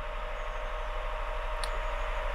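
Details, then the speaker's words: 2001 Honda Insight gen 1 hybrid, off the road 7 years, idling stone cold in a garage with bonnet up: quiet even low hum, soft steady drone, no knocks or rattles; normal cold three-cylinder idle. "this is the loudest you'll ever hear it inside a garage with the bonnet up [Applause] even when they're stone cold they're surprisingly quiet"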